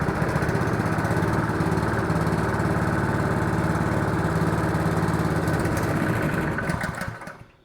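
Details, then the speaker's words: Honda GX200 on a 2-inch water pump after carburettor rework: steady single-cylinder chug for about seven seconds, then fades and dies as choke is taken off; runs only on full choke, fuel delivery issue suspected. "Full choke and that's the only way it'll run. So, we still have a fuel delivery issue."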